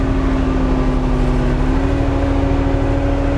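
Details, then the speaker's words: Kubota RTV X-Series diesel with a V5245 hand throttle kit, hand throttle turned up from idle: the drone holds a steady elevated pitch, creeping slightly upward as revs rise; a normal raised engine speed. "and as I turned the thing up here the engine RPMs raise"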